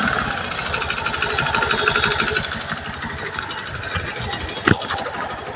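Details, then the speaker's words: Honda Beat FI second-gen (K44) scooter engine at idle: rough rattly clatter of about three knocks a second that stays steady, not following RPM, so CVT ruled out; mechanic diagnoses a problem piston, piston slap. "langsung tak vonis Mas puny jenengan piston bermasalah langsung tak vonis aja ya Mas Daripada bongkar reek bengek toh ini Mas akan-akan kayak suara bagian gvt tetapi bukan gvt mas"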